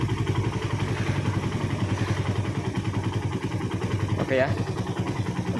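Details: Suzuki Satria FU single-cylinder after manual tensioner adjustment, revving with a steady even note and no cam chain rattle or clatter; normal, runs smooth.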